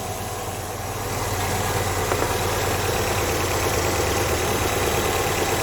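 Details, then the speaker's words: Classic carburettor and distributor car, choke off, vacuum advance plugged. The even, busy idle sits above its normal 950 rpm, around 1000, and swells after a second. Ignition timing at about 10° BTDC is too far advanced and makes it race; mixture may also be off. "we're running a little bit faster than normal that was running at about 950 now it's running a bit more faster that's the only effect of doing this"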